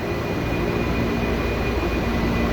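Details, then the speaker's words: MOB 1 rooftop A/C unit set to manual cooling mode with full recirculation to bypass failing sensors when it won't start: steady low fan roar with constant motor hum on top, even and unbroken; normal running. "so everything is set now we're all good to go so now it's manually running you can actually hear the motors running on top and you can feel the air flows going"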